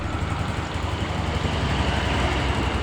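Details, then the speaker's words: A motorcycle that had not run for a long time starts on the first kick and runs on its own with a steady low putter and even exhaust pulses at idle. It sounds healthy, and after a test ride there are no problems. "Oke ini kita starter cuman sekali engkol saja rekanrekan motornya langsung"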